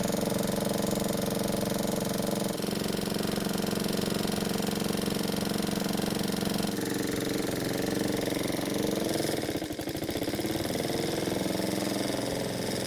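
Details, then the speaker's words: Honda walk-behind mower single-cylinder engine, previously run badly low on oil: rough running with harsh, fairly regular knock at idle; flywheel marks suggest ignition coil contact, crankshaft suspected bent; bent crankshaft knock. "so as you can hear it sounds terrible and to be honest I'd never buy anything that sounds this bad"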